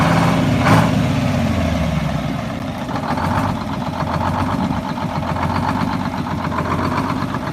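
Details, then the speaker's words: Bus two-stroke diesel being rescued, started by start-stop button and held at low idle: low idle with a loping, uneven beat, dipping and recovering, lugging for a while; uneven lugging idle. "So it's been lugging for a while. So as you can hear, it's doing pretty well."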